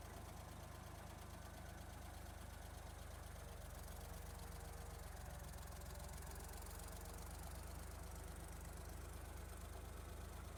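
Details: 1972 Ford 3400 backhoe tractor, diesel, after restoration: low, steady diesel thrum at idle, even, without any loud knocking; tractor runs healthy.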